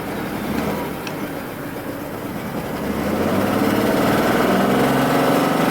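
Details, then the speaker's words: 1993 Mercedes S600 W140 V12: it idles on its own with a steady beat, but the revs climb slowly and lazily. It won't accelerate as it should; the owner suspects the air-fuel mixture. "Runs on its own accord though. Just doesn't want to accelerate the way it should."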